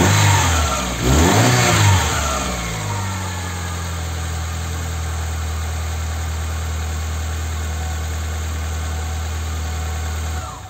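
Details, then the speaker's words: Chevy (Corsa) 1.6 engine that wouldn't start because of a broken timing belt, now with the belt replaced and injectors and coil reconnected: it catches after a brief rev, then settles into a smooth, even idle with no knocks or misses. "bueno voy a conectar los inyectores y la bobina para ponerlo a funcionar demostrarles que el motor va a arrancar"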